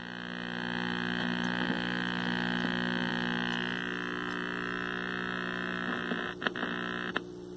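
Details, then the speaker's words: 1960s Philco S-1262BK black-and-white vacuum tube TV: steady low buzz under the audio, changing and crackling as the output tube is wiggled; a bad tube socket joint, fixed by reheating the joint; intermittent audio buzz. "buzz goes away just buzz go away with sound of course not much of anything and no power"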